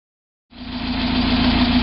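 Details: 1990 Mazda Miata petrol engine at idle: steady low hum with an odd droning tone above it that separates from the HLA (hydraulic lash adjuster) noise as the car accelerates/decelerates; owner suspected ping but it persists on 93 octane; unidentified.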